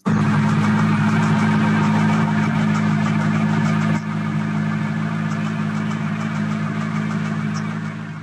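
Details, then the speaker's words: Corvette C8 Z06, 5.5 L flat-plane-crank LT6 V8, at idle: light, high ticks that come and go with no clear pattern; intermittent engine ticking that GM has acknowledged in a preliminary information bulletin and is still investigating. "And then this next one, this was from a video on Facebook, and that ticking sound's a little bit more intermittent. It doesn't seem like there's much of a pattern. It seems like it kind of comes and goes."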